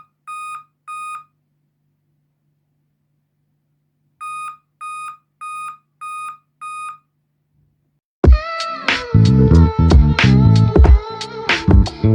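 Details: Dell laptop giving five evenly spaced high beeps at boot over a low hum; the laptop needed a CMOS battery replacement.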